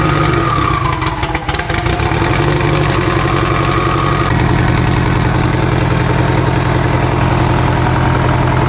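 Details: Abandoned Evo 8 being built for 800 whp, restarted after a coolant top-up with oil pressure, AFR and fuel pressure all good: cranks, catches cleanly and settles into a steady, even idle with no misses or knocks.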